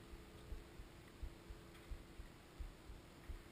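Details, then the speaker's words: Rage'n 24C trailer propane fridge with piezo igniter like a barbecue lighter, pressed on with gas on outside: soft steady ticking about one and a half times a second over faint hum, clicking stops once lit; normal lighting. "And when you stop hearing it click, then you know that it's working."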